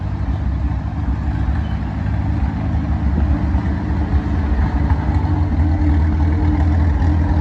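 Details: 85-year-old tractor idling hot after a new 3D-printed carburettor float and a rebuilt magneto: steady, even low chugging with no knocks or misses. The engine runs smoothly and sounds healthy.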